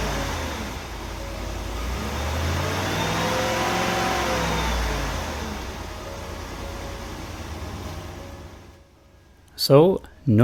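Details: 1995 Oldsmobile Aurora after replacing a bad coil pack that caused a severe misfire and kept it off the road about four months: clean, smooth rising and falling revs, no vibration, stumble or tailpipe popping; normal revving, misfire gone.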